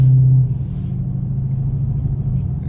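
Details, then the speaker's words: Camaro cruising on the road after the worn, wobbly rear wheel bearings were replaced; steady low road rumble with no growl, hum or whirr, the earlier noise gone, bearings now quiet and healthy. "headed to the crib and uh that noise is gone it drops a lot better"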